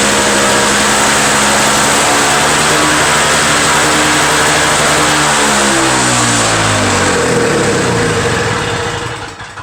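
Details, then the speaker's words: Two-stroke Toro snow blower after carburetor cleaned of a restricted jet: crisp even buzz rising and falling smoothly with throttle, no misses or sputter; owner suspects plugged jet caused the no-start, now runs healthy. "i'm thinking it's probably that jet was plugged but whatever it was it's running good now it started the first pull before i pulled up like 20 times and it once started off"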